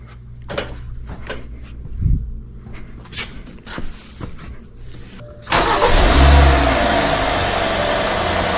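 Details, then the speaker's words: Hyundai Sonata with codes P0011 and P2006, after intake manifold replacement for an intake runner flap code, VVT solenoid not yet replaced: engine cranks, catches and settles to a smooth even idle without misfire or ticking; sounds good. "right there, as you can hear, the engine is running. The engine sounds good."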